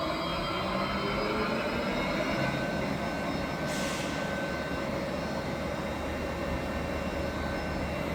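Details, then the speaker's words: New large lathe on first start, supply converted to 380 V, spindle in the mid speed range with variable frequency drive adjustment: steady, even whir with constant gear hum, no knocks or rattles; runs normally. "Và bây giờ chúng ta có thể khởi động máy tiện. Vì vậy, chúng ta sẽ bắt đầu ở dải tốc độ trung bình và sau đó sẽ điều chỉnh bằng biến tần."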